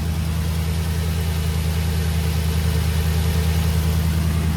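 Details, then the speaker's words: Infiniti QX56 V8 bought with a coolant leak and an earlier miss, engine light still on: smooth even idle burble with steady low rumble and no skips, slight belt or pulley noise; no miss now, engine sounds good. "Well, it sounds better other than that little bit of belt noise or pulley noise. The engine sounds good."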